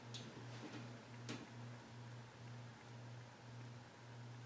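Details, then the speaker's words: Alaron ceiling fan, failed capacitor suspected: low steady hum with soft ticking about twice a second as the fan slows on medium and low and stalls; reverse winding also appears dead. "medium vibrates low oh that's really slow it's gonna stall off this whole fan is screwed up"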